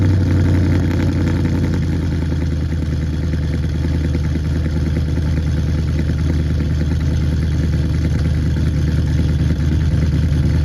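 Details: 2009 Pontiac G8 GT 6.0 LS V8 cold start at about 40°F, rebuilt after DOD lifter failure with LS7 lifters, BTR Red Hot cam, Kooks long tubes, near-straight pipes with glass packs, tuned: deep uneven lope about three per second; healthy cammed cold idle.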